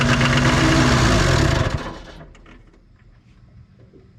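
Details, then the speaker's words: 1990s Toyota SDK7 diesel skid steer, sat for years, run briefly without a radiator, roars at high speed instead of idling and puffs smoke before shutoff in under two seconds; throttle not working properly though fully closed, cause unknown. "seems like the idle is super high for some reason and it's also puffing out a bunch of [Music] smoke it's like the throttle here is not working like it's supposed to"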